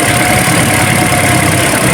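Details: Toyota Altis after replacing the faulty ignition coil (spark plug was fine): a smooth, steady idle with an even beat and no stumbles or shakes. The engine runs evenly on all cylinders, fixed.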